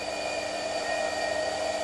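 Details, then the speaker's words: BMW E39 EV conversion heater blower on a benchtop power supply at six volts, after airflow first appeared around 2.5–3 volts: steady smooth fan whoosh, even motor hum, no ticking or rubbing, quite good airflow; normal blower operation. "there's six volts as quite a good airflow"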